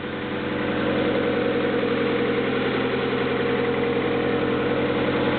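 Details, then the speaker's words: 1995 Honda Accord EX, 2.2 L SOHC VTEC four-cylinder, 206,000 miles, rebuilt a couple of years ago, cold start: steady, even idle with a soft intake rush through cold air intake filter, no knocks or ticks; engine sounds healthy and smooth. "Let's start her up. Seems to run smoothly, and I can actually hear the airflow through the cold air intake filter."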